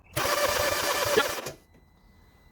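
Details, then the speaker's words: 2010 Mini First 1.4 75bhp, 80,000 miles, misfire, compression test while cranking: even steady cranking beats for about 1.5 seconds with no dropped strokes; this cylinder holds good compression. "so good compression on that yeah yeah we are there 12 13 bucks"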